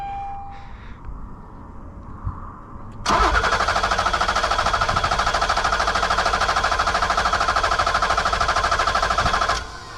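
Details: 1986 BMW 325e E30 sedan cranking steadily at about three beats a second without catching, with no fuel reaching the injectors; one injector was clogged and five had very low flow, and it runs when sprayed with fuel.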